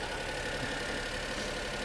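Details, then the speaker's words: 2005 Honda Acty SDX 4WD kei truck (HA7), E07Z 658 cc three-cylinder 12-valve petrol, 5-speed manual, 36,500 km, cold start: quiet, even idle with light steady valve tick, no knocks or rattles; normal idle. "hopefully you can tell that is a a nice quiet Honda three-cylinder engine ticking away"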